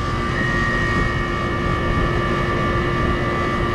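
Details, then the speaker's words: R-410A air conditioner being charged, suction pressure raised to 111: compressor runs with a loud constant roar, steady high whine and lower hum; noisy, failing compressor due for replacement. "Boy, this compressor is just winding. It's, I don't know if y'all can hear that, but it sounds horrible."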